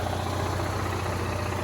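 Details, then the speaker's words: Onan Marquis 5500 generator, about 450 hours, in a Class A motorhome, after fixing oil smoking at a metal button, air cleaner off: steady, even hum running both rooftop ACs at full demand, no smoke; normal under load. "All back together, running. I got both rooftop ACs running right now. So it's on full demand."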